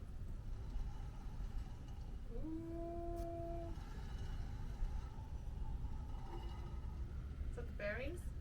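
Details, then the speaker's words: Ibex 19MBH travel trailer, rear tire suspended on a ramp and spun by hand before greasing: short tonal squeak rising for about a second; owner says it's the bearings, suggesting dry or worn wheel bearing. "It's the bearings, yeah."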